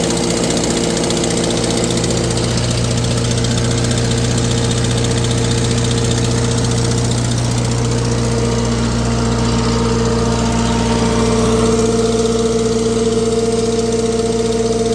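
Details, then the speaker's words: Tractor on a PTO dyno, running warm: a steady loud tractor idle with an uneven beat as a dropped firing breaks the rhythm a couple of times a second; a slight miss, with a cracked, JB-welded exhaust manifold also present. "Sounds like it got a little bit of a miss. Have to check into that."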